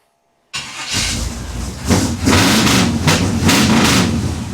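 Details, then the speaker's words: 1957 Chevy convertible built from a 4-door shell, small-block V8, Turbo 350, headers with glasspacks: a slightly shimmying starter cranks briefly, then the engine catches and blips with a deep, lumpy burble, settling into an even idle; healthy start. "I love the way this thing sounds. It sounds like such an old school badass hot rod."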